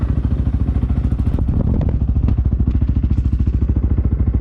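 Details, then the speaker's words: 2020 SSR Motorsports SR300 dirt bike with Lectron carburetor replacing stock carb, just started with choke: quick, even, soft single-cylinder thumping idle, no stumbles or rattles; starts easily, normal idle. "starting is now just push of a button with the choke on you can turn the choke off pretty much immediately and as you can hear the bike just first like a kitten"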